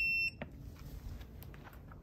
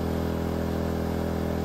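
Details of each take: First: EcoFlow Smart generator converted with a propane tri-fuel kit, long primed line: cranks, catches briefly and labours unevenly without staying running; too lean, so the regulator is opened one more turn to four turns. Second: EcoFlow smart generator fitted with a propane tri-fuel kit, loaded by a hair dryer at about 1,650 W while the fuel setting is adjusted: speed rises and dips, then settles to a steady hum without surging. Normal running under load.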